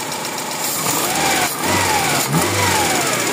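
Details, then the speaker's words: Toyota Corolla GLi 4A-FE engine at idle: light, fast ticking from the top of the engine over the running noise; valve clearances adjusted too loose, valve tap. "Ayan na yung ingay ng maluwag ng barbula."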